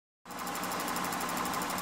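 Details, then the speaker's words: 2004 Honda Odyssey, 120K miles, warm idle or at a stop, no check engine light: rapid even ticking chatter. Mechanics suggested valve adjustment or injectors, but it came from the EVAP purge control solenoid; replacing it fixed the noise. "I have a problem with the chatting noise the one that you hear now it sound like me is Nev our adjustment or the sound of the injector but it's not it's coming from this device right here"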